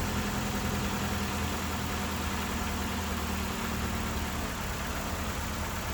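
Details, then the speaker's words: 2001 Ford Escort ZX2, first run in months or years after startup electrical issues, low on fuel: steady, even low idle with a constant hum and no misses or knocks; the engine is running smoothly. "That is a running engine. And she seems to be running fine, too."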